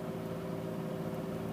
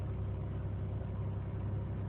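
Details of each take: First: 2001 Chevy Malibu 3.1 V6, parked: the engine holds a steady raised hum at about 2,000 rpm (3,000 rpm the day before, with the temperature near red); high idle, with throttle body and MAF cleaning as the intended fix. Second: 2001 Chevy Malibu 3.1 L V6 idling in park right after cleaning throttle body and MAF sensor to fix high idle (was about 2000–3000 rpm); steady even idle just over 1000 rpm, no surging; normal idle.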